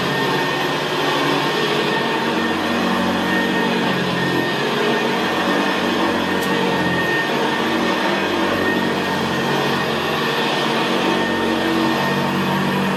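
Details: 1975 Hoover Senior Ranger U4002 vintage upright vacuum cleaner in use on carpet: steady, even, very quiet motor roar with a low gravelly brushroll growl, no surging or rattles; normal healthy running.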